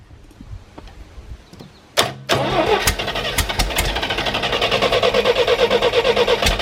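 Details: 1973 GMC 432 cu in V6, out of a truck and unstarted since early 2019 (about 5 years), with fuel fed from a can: a bang, a few coughs, then it catches into a steady even beat; hard start, catches and runs.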